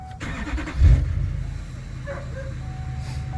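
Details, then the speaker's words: Diesel truck warm restart after glow plug control module replacement, engine previously running: quick crank catches within a second, settles into a steady low idle without stumbling; check engine light stays off; normal warm start. "GNA crank it back up now it is going to crank easy cuz it's been running for a little"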